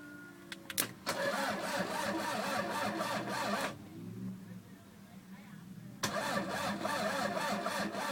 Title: mr2 no start